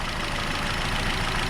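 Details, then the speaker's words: Nissan Rogue after new spark plugs and ignition coil, code P0300: uneven lumpy idle, a multiple cylinder misfire without smoke; it stalled on a test drive. Owner suspects the new coil pack. "so it's not smoking so that's something to be noticed it's not smoking but it's doing a lot of misfiring"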